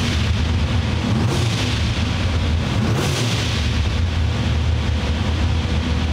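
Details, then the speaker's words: Blow-through carbureted V8 at operating temperature on dyno, after idle air screw adjustment, idling about 1200 rpm with timing and fuel set: quick throttle blips rise and fall cleanly, no stumble or popping; crisp carb tip-in. "And when carburetors are really nice, and you have a little bit of extra fuel there, so they tip in good, they do exactly that. They just take right off and they sound really nice, really crisp and clean."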